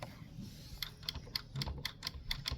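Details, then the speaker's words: Shark robot vacuum UR1105ARUS (AV1010AE) with error 02 blocked wheel, wheel reinstalled: sharp light clicks, about eight in two seconds, as the wheel is pressed, showing the drop sensor latch engaging properly. "You push your wheel in so that it reconnects to the metal clingy thingy level part."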